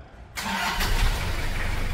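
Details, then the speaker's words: Toyota Hilux SR5 (1992–2001) diesel just after engine service and a new pump: short crank, catches almost at once and settles to a steady, even idle; normal quick start. "deixa eu mostrar como é que ficou a partida depois da bomba nova Olha só olha a partida dá uma olhada"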